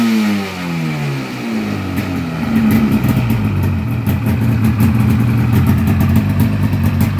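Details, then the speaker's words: 1996 Polaris XCR 440 Special snowmobile converted to EFI, XCR pipe: two-stroke twin fires up and revs in fast crisp bursts that climb and drop cleanly; healthy engine with snappy throttle. "This XCR pipe on a 500 twin sounds beautiful. Watch how snappy this thing is to rev."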